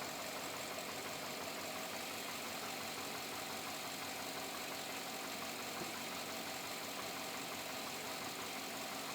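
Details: 2007 Chevrolet Avalanche V8 at about 86,000 miles: idles with a busy clatter and a persistent light knock; owner unsure if it is engine knock or piston slap, still unresolved after four dealership visits.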